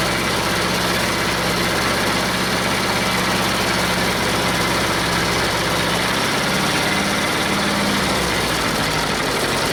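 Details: Detroit Diesel two-stroke in a cheap, long-sat dozer (one cylinder was full of water) runs on only 2 of 4 cylinders. Uneven, lumpy, lopsided idle that never smooths; rough idle from two cylinders dead with stuck valves.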